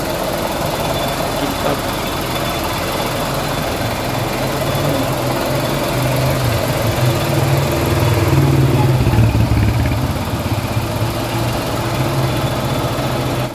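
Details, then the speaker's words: Nearly new Suzuki S-Presso at idle, engine running very hot: heavy, droning low rumble with a slightly uneven pulse; strong engine vibration of unknown cause, while driving is fairly okay. "makikita niyo naman nanginginig yung makina at saka sa takbuhan Medyo okay naman ang problema lang eh malakas yung vibrate ng makina"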